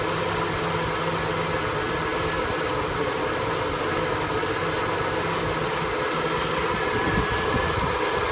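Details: 1974 F100 V8 with an EFI swap, idling with an uneven, lumpy beat and a wavering low hum over a steady hiss; the idle is rough, cause not yet pinned down.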